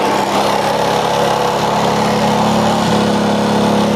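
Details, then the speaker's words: Honda Grand small motorcycle, stalling with black spark plug and high fuel use despite big ignition coil: smothered, flat exhaust note with no crisp bark; muffler outlet, possibly modified for a smoother sound, is blocking exhaust. "Mungkin maksudnya suaranya agar biar halus ya tapi yang terjadi adalah kembung Mas Bro"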